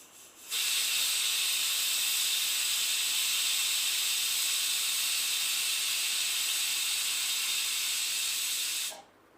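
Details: Pressure cooker cooking dal and greens with the lid closed after using an anti-overflow trick, giving a steady strong whistle for about eight seconds that cuts off cleanly; no water escapes, a normal release.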